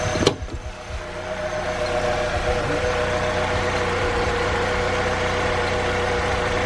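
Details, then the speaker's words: 2005 Saab 9-3 2.0L after repair of a top-of-engine noise: three damaged rocker arms replaced with used ones. Sharp start catches, then settles into a steady, quiet idle with a faint even hum and no top-end clatter; normal idle. "we couldn't find the new ones so we got the use one use ones and we replace them and noise is gone"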